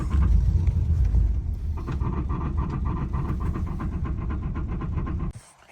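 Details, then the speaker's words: 1980 Cadillac Coupe Deville after TH400 long-tail transmission swap, mic under car at idle: regular knock about three per second like a loose bolt hitting as it turns; suspected torque converter or flex plate, goes away under load, unconfirmed. "It really just sounds like there's a bolt. It sounds like there's a bolt that's just like hitting as it comes around."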